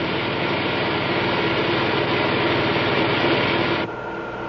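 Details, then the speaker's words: Model propeller at constant rpm as ambient pressure is raised: churning rush with crackle fading and tone settling lower; cavitation on blade faces and tip vortices almost suppressed. "and now it is almost suppressed. Incidentally, this procedure simulates the behavior of a cavitating submarine propeller as the submarine dives from a level near the ocean's surface."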